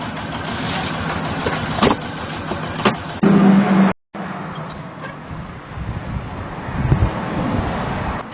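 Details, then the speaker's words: Mechron 2450 carrier driving, noisier uphill and on rough ground: uneven clunks and rattles through the engine drone; belt and transmission oil checked fine, one joint appears badly damaged and knocking. "언덕을 올라간다거나 조금 합한 길에는 소리가 많이 나가지고 점검을 하고 있는데"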